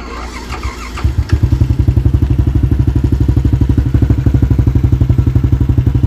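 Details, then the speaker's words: Yamaha LC135 V8 FI motorcycle with an up-spec 62 build: after a short start it settles to an even, quick exhaust beat of about ten pulses a second; quiet engine, slight carburetor slide noise, no knocks; healthy idle. "Enjin senyap sahaja. Bunyi slide carburetor sikit. And then bunyi exhaust."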